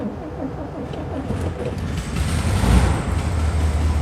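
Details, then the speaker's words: 1972 Karmann Ghia air-cooled flat-four, cold start at about 50 degrees after choke adjustment and electrical rewiring: catches and settles into steady, lumpy low idle with even chuffing; normal idle. "and she at least runs now and idles and yeah"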